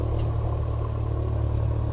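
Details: Light airplane engine bought in pieces, first start after revival, about 1,000 rpm with oil pressure up and fuel pressure reading low. Smooth, even low drone with no miss or clatter. Normal idle.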